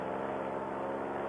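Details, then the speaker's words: Air Conception Tornado 280 paramotor two-stroke, freshly rebuilt after recall damage (broken piston, scored cylinder, head), breaking in during test flight at about 5,500–6,000 rpm; steady even high buzz holding pitch, no misses: normal running. "we're going to fly it around for about 10 minutes or so but with the motor be in fresh and rebuilt it sounds great right now"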